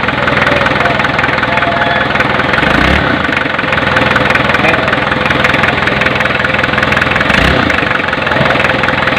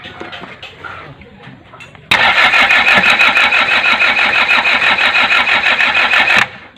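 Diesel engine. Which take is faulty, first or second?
second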